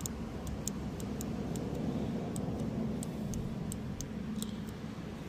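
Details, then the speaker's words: Known-good fuel injector bench-tested with power and ground on its two pins, crisp bright clicks roughly four per second as the coil snaps open; working properly, unlike the bad injector that gave no click. "Y en este inyector si se escucha"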